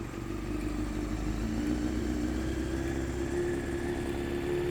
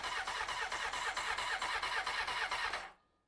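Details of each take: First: 1993 Honda CBR900RR, first start after replacing a blown fuse: an even four-cylinder idle burble and a clean blip that settles back. Runs healthy while warming up and burning off oils. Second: 1993 Honda CBR900RR, first start attempt after spark restored: steady starter cranking about two beats a second for three seconds, never catching; no fuel reaching the carbs.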